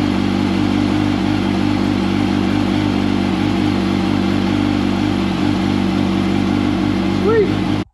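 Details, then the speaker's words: 2005 Yamaha R1 after faulty starter replacement for hard starting, oil refilled: engine catches cleanly and settles into steady even idle with smooth drone, no knocks; starter sounds much better, normal start and idle. "oil's back in it let's see how much better it sounds starter sounds so much better one more for good measure"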